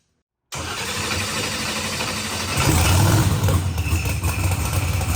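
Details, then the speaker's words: Procharged billet-block LSX Corvette on the dyno: deep engine note swells into a full-throttle pull without misses, pops or stumbles, coming up quick; clean, smooth pull. "it did sound clean that sounded super smooth yeah she was coming up quick"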